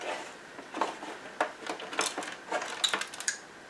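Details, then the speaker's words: Original Xbox One with intermittent HDMI display output, opened up and tipped: irregular light metallic clicks and tinkles from a small loose metal part rattling inside the case, found to look like a watch-strap pin. "So if I just take this, I heard something rattle then. Was it just the hard drive? Let's take it out. I can definitely hear something rattling inside"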